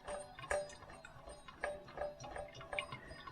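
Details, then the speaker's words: New old stock power steering pump for a Mk3 Ford Cortina, turned by hand at its pulley while pumping out its fluid: slow uneven clicks and soft ticks; pump working normally. "proving that the pump at least is having a go working can hear that trying to keep steady"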